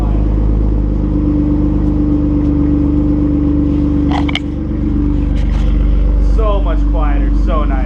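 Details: BMW E36 M3 after a custom-fabricated muffler exhaust was added over noise complaints: a steady low, even idle with a soft, muted exhaust note and no rasp. Quiet exhaust note.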